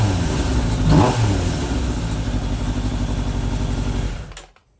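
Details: Suzuki GSX600F Katana four-cylinder with aftermarket exhaust and freer-flowing filter, carb mixture screws set to 4 turns out: steady, even idle at a settled speed after a blip, then switched off; now idling properly.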